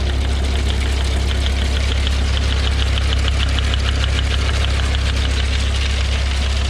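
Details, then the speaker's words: John Deere No. 5 sickle mower running after it was refilled with about 1.5 quarts of gear lube: a deep, steady drone with an even clatter about three beats a second and no grinding. "So I'm gonna try to start it up and see what happens. Well, as you can see, it's working."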